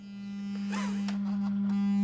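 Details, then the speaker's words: Spendor BC1 / Haycross HA3/8 speaker on original BC1 baffle, steady low test tone: rough rattling buzz riding on it from glued parts coming away and vibrating. "So all of this is coming away. That's where the vibrations, the noise is coming from."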